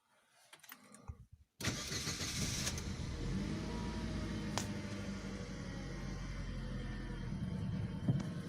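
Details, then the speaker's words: Ravon R3 cold start outside at −8 °C, 21,456 km, after cleaning glass, wire and stones out of the alternator belt and pulley grooves. It cranks, catches cleanly and settles to a steady idle. The morning belt squeal is gone. "машешь откроем капот ну вот я уже все услышал свист и нет"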